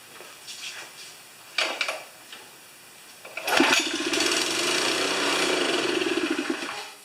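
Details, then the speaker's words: Honda GX160 on a wheelbarrow air compressor: it catches on primer gas, runs a few uneven seconds, then fades and stalls. This points to fuel starvation; the tank holds debris, including flies. "No, it's just starting installing. That's that's pointing to fuel to me."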